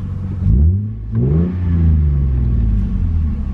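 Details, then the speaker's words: Manual Lexus IS300, free-revved from inside with and without clutch pressed (faint zoom from clutch): clean revs rising and falling smoothly, no knocks, rattles or misfires; engine healthy. "the engine is healthy for right now"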